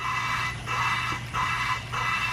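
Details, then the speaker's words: Valve lapping on a Honda K24 rebuild, valve spun by hand with light pressure and assembly lube on the stem: rhythmic back-and-forth scraping with thin hiss; the pitch changes and the gritty bite fades, showing the lapping compound has broken down. "Now you can hear the pitch has changed and it's almost completely gone."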